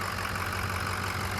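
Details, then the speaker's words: 6.0 Powerstroke diesel after replacing a cracked injector, still warming up with light exhaust haze: even, steady idle with smooth low rumble, no knock or miss; sounds healthy. "It sounds good though. It sounds good. We might be able to ride with that."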